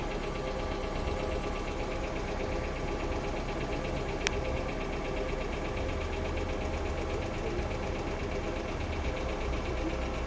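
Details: Hyundai Accent II at idle: light, fast, steady ticking from noisy hydraulic lifters (hydraulic lash adjusters) in the valvetrain, riding over an even idle.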